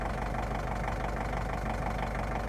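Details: Kubota tractor with a no-start problem (cranks with a clack or won't start) fixed by cleaning rust off and tightening the battery ground strap to the frame; restarts and settles into an even, steady idle with a regular low beat, no misses or knocks.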